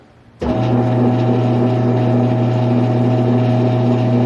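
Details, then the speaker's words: Large planer, newly acquired, first switch-on: sudden start, then a steady low hum with clean, unwavering tone, no rattles or grinding; motor running healthy. "That's a good sign."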